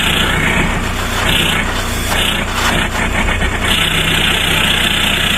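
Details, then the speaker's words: VW Passat B3 35i with ARL PD150 diesel swap and newly fitted straight-pipe exhaust, just lowered to the floor: loud, raspy steady idle, low uneven chuff and hiss up top, owner calls it weird; engine running fine. "so yeah straight pipe solid as a rock so I'm about to drop it down on the floor and see what it like so yeah let's have a look what it sounds like shall"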